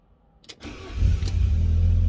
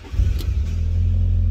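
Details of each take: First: Fiat Barchetta with 97,000 km, sat in a garage for years, start-up listening for cam variator: brief crank, catches within a second, steady idle with no clatter; variator reasonably quiet, customer likely fitted a replacement already. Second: Fiat Barchetta with 97,000 km, sat in a garage for years: short crank where the starter motor catches briefly before firing into a steady idle; starter likely worn, may need refurbishment.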